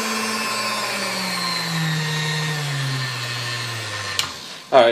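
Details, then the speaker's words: Vintage Sunbeam Mixmaster Model 9 after full restoration, run through speeds 1 to 10: motor hum smooth with no drag or scraping, slowing and stopping freely; normal. "sounds better there's no drag on the machine now so of course more than sunrise is smooth"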